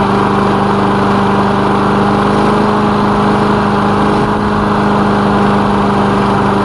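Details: Lawn mower engine after repair, oil recently changed, initial test run with the elevator off; steady even single-cylinder drone, one constant note, no misses, knocks or surging; running fine, normal.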